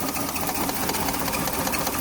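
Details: Maruti 800 AC: an uneven, stumbling idle with irregular puffs breaking the rhythm. Engine misfire at idle, a cylinder missing.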